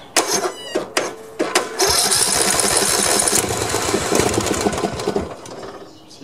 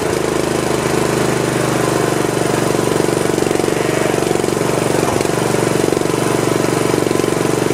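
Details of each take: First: Old Snapper 1438S rear-engine riding mower, carb cleaner sprayed in after earlier backfiring: sharp cranking pulls then a couple seconds of ragged firing that fades; engine tries to start but won't keep running. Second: Old Snapper 1438S rear-engine riding mower after carburetor refitted and fuel flow restored: single-cylinder engine catches and settles into steady even chug about three beats a second; running normally.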